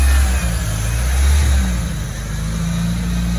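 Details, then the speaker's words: Merkur XR4Ti turbo with manual transmission, long-stored, first start after fitting a battery, running on old fuel: deep engine note rising and falling as it is blipped, no knocks or rattles; runs and revs cleanly. "it's running [Music] incredible it runs it runs at this point runs i can hear the turbocharged power incredible"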